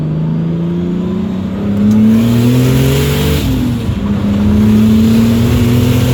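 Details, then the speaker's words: BMW E46 turbo build on a driving pull before the boost spike to 14 psi that later damaged it: strong, clean rising pull through the gears with no misses or knocks; ran great with the AFRs dialed in. "But yeah, that last pull, this car felt great. It ran real good."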